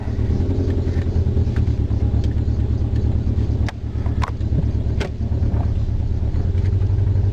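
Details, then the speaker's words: Hyundai engine stumbles and sags with a low, uneven rumble when throttle is applied, both in gear with foot on brake and when floored; owner suspects a clogged converter or throttle position sensor; belt squeal also present. "But it's got a little bit of a, it's running pretty good now, but I'll hit the gas. You hear that stumble."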